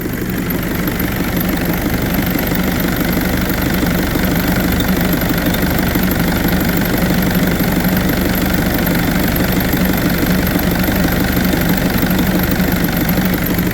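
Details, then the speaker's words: Kubota V2203 diesel swapped into a Willys Jeep with about 4,000 miles, idle lowered to about 730 rpm, gives a coarse, uneven throb with an intermittent rattle; excessive idle vibration shaking the hood and body. "I don't know if you can hear it in video but the whole body is vibrating more the Hood's vibrating more there's a rattle that comes and goes with this"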